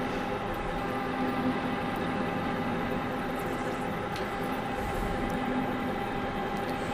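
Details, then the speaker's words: Manual lathe parting cut with cutting fluid, after lowering speed from 460 to stop chatter: steady, even machine hum with a light cutting hiss and no chatter or squeal, nice chips forming. "reduce the speed and let's try it again the chatter went away we're getting nice chips across there again"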